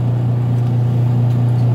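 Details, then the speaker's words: Washing machine, timer on: wash motor underneath runs with a steady low hum and no agitation, while the pulsator stays stopped; its drive is seized, so the motor pulley slips on the belt. "Andar yung motor. Pero nakahinto to. Nakahinto yung pole. Diba? Umi-slide yung motor. Yung puli ng motor, umi-slide na sa belt."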